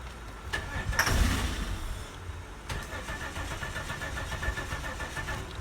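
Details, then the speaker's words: 1998 Holden Commodore VT Berlina after 5 years in storage, fuel pump replaced, cranking on ether; uneven labouring starter churn about three turns a second that drags and fades, battery dying. "you could hear that battery dying with the crank so let's see if we've got anything better now"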